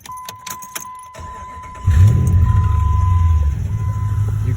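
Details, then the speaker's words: 2005 Ram 1500 (3rd gen) with Magnaflow cats, cold start: key clatter, then rough idle with a puffing tick and pressure-cooker-like hiss over the rumble, worst right after starting; exhaust manifold leak, before replacement with BBK shorty headers. "this is what it sounds like now put that leak that leak just sounds like [ __ ] I hate it man"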